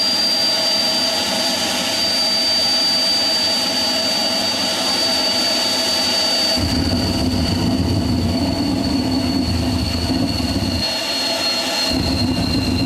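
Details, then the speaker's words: Homemade propane-fueled turbocharger jet engine: steady high whistling roar, then a sudden deeper rumble and tone change as the afterburner lights on throttle-up; running as intended. "I'm sure you heard the tone change once afterwards started going"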